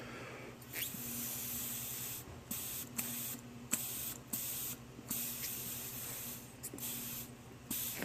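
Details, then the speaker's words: Chinese PZ20 carburetor float adjustment for a vent tube fuel leak, air blown into the fuel inlet line to simulate fuel: short hiss bursts cut off sharply as the float needle seats and shuts off flow properly. "okay there we go if you if you heard that and there you can see let's zoom out that little pin closing"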